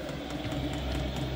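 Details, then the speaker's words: Diesel heater newly installed in a box-truck RV conversion, about 60°F outside, 77°F inside: steady low hum, fuel pump clicking faster, fan whirring and ramping up, no surging or rattles; heater running normally and blowing warm. "clicking faster as well as the fan and the heater ramping up as well and it's starting to feel warm"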